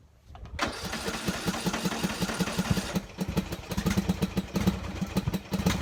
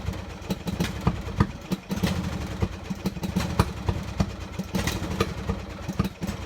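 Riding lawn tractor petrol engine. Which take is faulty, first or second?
second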